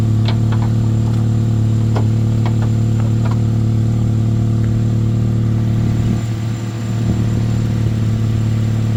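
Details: Chevy Malibu test run after starter replacement and MAP sensor cleaning: starts without a jump and settles into a steady, even low idle with no misses or knocks.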